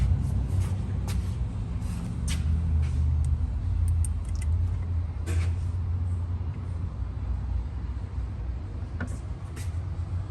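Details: 2013 Ram 1500 5.7L Hemi V8 idling with a deep, steady rumble and faint, sharp irregular ticks. No codes, no check engine light and no misfire. Heads, lifters and camshaft looked fine, so the pistons were removed to find the tick.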